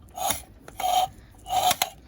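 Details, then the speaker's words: Honda 5.5 hp small engine full of water with bent push rods, out of time, turned slowly by hand: three harsh rasping scrapes, one per crank turn; internal part striking side cover. "I'm pretty sure it's just hitting on this cover here. Yeah, it's definitely just hitting on that cover."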